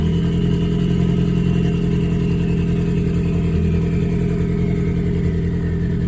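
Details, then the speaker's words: Ford Focus after recent spark plug and injector replacement, timing suspected off, warming up: an uneven idle with an irregular stumble and popping in the exhaust beat; scan tool shows a misfire on cylinder three, six counts. "So is she misfiring? Really? So, we have a misfire detected cylinder three."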